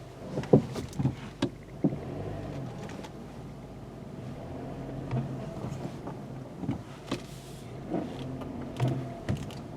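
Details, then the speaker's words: 2020 VW Golf with a customer complaint of banging while driving, reversing on full lock: low steady drivetrain hum with no rhythmic clicking, so the CV axles are fine; a clunk is also heard. "Well, nothing. If you turn it tight like that and back up, a lot of times if it's a CV axle, you will, it'll click."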